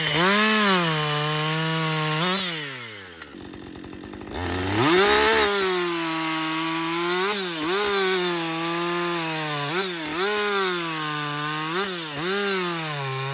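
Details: Husqvarna 562XP 60cc chainsaw after dealer software reflash for dying when hot, bucking windfall; screams at full throttle, pitch sags as chain bites and snaps back cleanly. Normal running under load.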